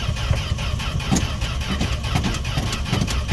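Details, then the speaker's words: Canadian-built Fargo D100 (Dodge D100) pickup, 1980s, cold start after sitting seven months all winter: starter cranks steadily but engine never catches; owner suspects fuel pump, ethanol-damaged rubber parts or carb, next tries gas down the throat. "all right this isn't working we're gonna give her a little gas down the throat"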